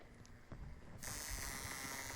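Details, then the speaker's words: Induction coil interrupter in a Hertz-style spark-gap demonstration: a soft rattle jumps to a loud, steady, raspy buzz as the interrupter vibrates, firing a couple of sparks per second; operating normally. "whatever the frequency of the vibration here is that's going to be the frequency that you hear over on the left hand side just trying to get a couple of sparks per second"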